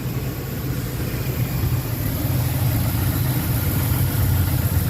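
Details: 2004 Lincoln Navigator V8 warming up after 5/8 coolant hose replacement and about 2 gallons of antifreeze refill, waiting for thermostat to open: steady, even low rumble with no misses or knocks; running good, normal idle.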